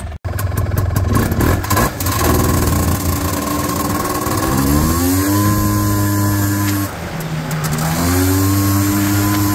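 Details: 1989 Honda Pilot FL400R two-stroke after engine rebuild (previous bearing noise, suspected crank bearings, chewed piston) and airbox lid swap, first ride: crisp note climbs and falls cleanly with throttle, no knocks or rattles; runs good.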